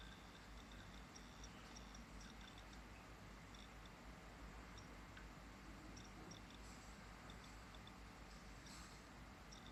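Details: Lenovo IdeaPad 320-14IKB laptop with Seagate ST1000LM035-1RK172 hard disk: faint irregular clusters of tiny high-pitched clicks and rattles over a low hum; hard disk drive clicking.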